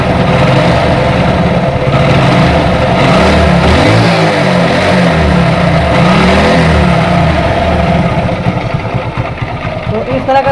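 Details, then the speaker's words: Hero Super Splendor single-cylinder engine, rebuilt two months earlier but parked for one month of that, idling after start: uneven knocking beat of about three per second over the exhaust, attributed to the crank assembly; crankshaft assembly knock. "तरह का sound है इसके अंदर। जैसे सलो में भी देख पा रहे होंगे वजन साउंड आता है, तो ये साउंड जो हमारा करेंग असेंबली का ही होता है।"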